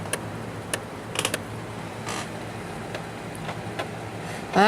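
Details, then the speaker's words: Dell Latitude LM installing Windows 3.0 from floppy disks: sparse sharp clicks and short ratchety bursts at uneven intervals over a faint hum as the floppy drive head seeks; owner doubts the drive and dislikes the sound. "hope this floppy drive is good okay here we go starting in that stuff that's good I don't like that sound"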